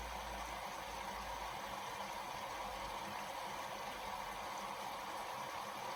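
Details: Bosch WFL246SGB/01 washing machine, cold-fill only, on 40° easy care cycle with filter checked clear: quiet, steady hiss of water running in with no motor or pump noise underneath; normal fill.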